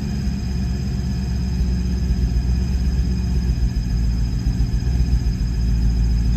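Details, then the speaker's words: 1995 Mustang GT V8 after cleaning corrosion from the distributor cap terminals; plugs gapped and plugs and wires tested good. Still a lumpy idle with uneven, irregular thumps three to four a second, misfiring or backfiring; cause unknown. "yeah it's still doing I can still hear it kind of backfiring or misfiring even though I clean that distributor cap all the terminals out of any corrosion"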